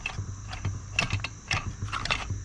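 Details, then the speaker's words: Harbor Freight Central Pneumatic 3-gallon air compressor not building pressure and noisier than usual: low motor hum with loose metallic clatter and sharp knocks from the piston area, crack seen near it. "the noise that it was making sounds like it's coming from back here here's where the Piston is I see a crack over here so it looks like something happened on the inside of this"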